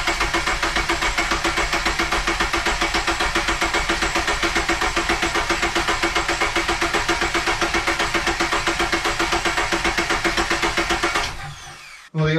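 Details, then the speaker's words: Custom AWD Dodge Neon with a Subaru four-cylinder, first crank after 3.5 years off, fresh fluids: coil pack disconnected, gas pedal floored to cut fuel, priming oil; even starter chug about 220 per minute, no firing, then stops. Oil light stayed on, fuel smelled. "I crank it with the coil disconnected holding the gas pedal on the floor should cut off the feel and uh yeah we'll try it out just to prime it when the oil light goes out"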